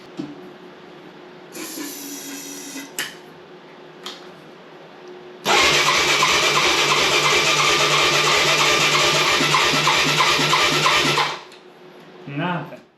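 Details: Neglected Moto 4 200 quad with a decompression release, after a compression test showed none: the electric starter, on a jumper pack, spins it fast and evenly with light uniform pulses and no firing while trying it on carb cleaner; no compression, top end suspected.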